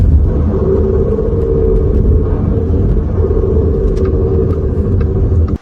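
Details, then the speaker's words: Xpeng P7 electric car, over 100,000 km, cruising on a hot day around 40°C outside: constant droning mechanical hum over road rumble. Worn reduction gearbox, a known defect at this mileage; the gearbox is taken apart for repair. "它这个响啊，肯定是机械的声音。"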